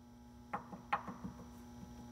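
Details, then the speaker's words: A worn lower ball joint on a jacked-up 1974 VW Karmann Ghia gives dull metallic clunks as the suspension is rocked by hand, the same clunk heard driving into a driveway. "I mean you can see the movement you can hear it but you could hear it going in a driveway or something you hear the same clunk"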